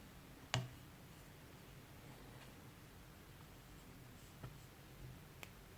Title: MacBook Pro (15-inch, 2019) popping sound from speakers